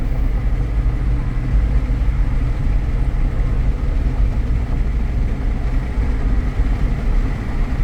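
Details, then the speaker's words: 2014 Jeep Grand Cherokee Limited 4x4, known for the 3.6 tick, at steady highway speed: smooth, even tyre and engine rumble with no suspension noise, knocks or grinding; normal highway cruise. "I don't hear any suspension noise. I'm up at 60. I'm going to turn my cruise on and make sure that works."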